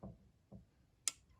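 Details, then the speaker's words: Injector removed from a 2008 Arctic Cat M8 EFI snowmobile and bench-tested by touching battery leads to it during a fuel-system clean: two soft taps, then a crisp metallic click as power hits; the injector opens normally. "and you can hear that injector click don't know if it'll show up in the video but you can hear it click in person and you can hear it click"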